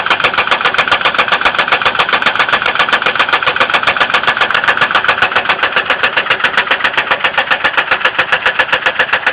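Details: 2002 Ford Windstar 3.8L idling: sharp, very even top-end ticking about 220 per minute, cause not pinned down; oil level raised and milky light-brown, possible coolant contamination, appeared overnight.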